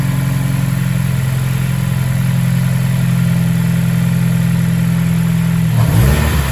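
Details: Mazda Mazdaspeed Axela (BK3P) with 2.3L direct-injection turbo L3-VDT engine after overhaul, revving normally: smooth steady running, even low drone, clean rev at the end, no knocks or ticks; engine sounds healthy.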